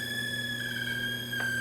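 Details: Aiwa TPR-910 stereo cassette recorder boombox: steady, piercing electronic whistle over a faint low hum, no program sound from tape or radio; tape motor runs but spindles don't turn; whine from audio output, cause unknown.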